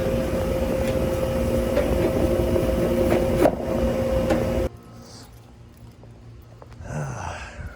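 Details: Outdoor AC condenser restarted after repairing wiring suspected chewed by rodents; steady, even fan and compressor hum with constant mid tone, no knocks or rattles; running normally, coil possibly dirty.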